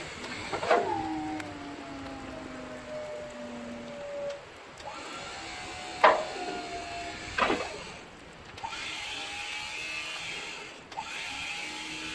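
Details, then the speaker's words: Snow plow hydraulic pump after fluid change and hose reinstall, cylinders still holding old fluid: pump runs in short bursts with a sagging groan and sharp clicks; reservoir fluid low, needs about half a quart. "so all right so as you can hear it's uh grown and chattering that means it's low on fluid"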